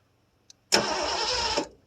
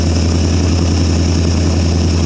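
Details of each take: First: 1973 Ford Gran Torino Sport, 351 Cleveland, off the road about 30 years, new starter fitted: about one second of even cranking with no firing at all. No spark while cranking; the ignition points were gummy and corroded and were filed clean. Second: 1973 Ford Gran Torino Sport, 351 Cleveland V8 off the road for 30 years, first start on carb-fed gas: loud steady exhaust drone, even beat, no lifter clicks or knocks; oil light goes out, alternator not charging.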